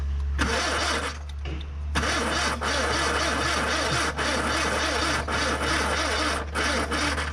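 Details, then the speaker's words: Barn-find Ford Corsair 2000E V4, sat for years, points cleaned and spark at all four plugs: long slow cranking bursts with pauses and no firing; weak battery, to be fully charged before retrying. "So at the moment in time we have failed to get it started, but we will not be defeated by a little V4."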